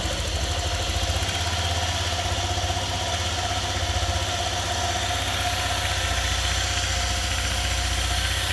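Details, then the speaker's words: 2018 Honda PCX, 1,178 miles, first start after valve adjustment (intake and exhaust both found too tight): steady, even low putter with no top-end ticking, very quiet; normal idle. "it sounds very quiet"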